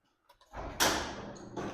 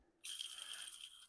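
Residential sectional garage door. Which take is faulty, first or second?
second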